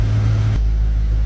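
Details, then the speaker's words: 2016 Dodge Charger back together after three or four months of sitting: deep, even rumble with no knocks, ticks or misses; engine running smooth and healthy. "she seems to be running pretty dang good I will give it that she sounds very good"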